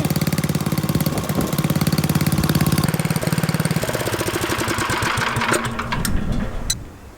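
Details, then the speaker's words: Troy-Bilt Horse rototiller, carburetor untouched, running on fresh gas: steady single-cylinder putter at about three to four beats a second, running evenly and then cutting out near the end; normal idle. "well my ten dollar rototiller is running i haven't touched the carburetor"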